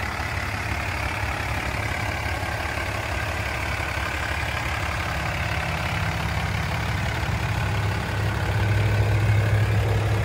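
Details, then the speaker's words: 2007 Dodge Ram 3500 4x4, 6.7 Cummins diesel, 68,000 miles, six-speed automatic, single rear wheel short bed: smooth, even, very quiet idle with a soft low rumble and steady clatter, no knocks or misses; normal healthy idle. "quiet idling Cummins or one ton single wheel short bed"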